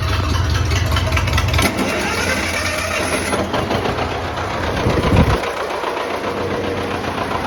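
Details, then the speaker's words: Old tractor started after sitting over a year, governor possibly sticky and timing thought off: uneven chugging that sags and picks up under throttle without pulling strong; lacks power, cause not confirmed. "ah come on man ain't got no horsepower"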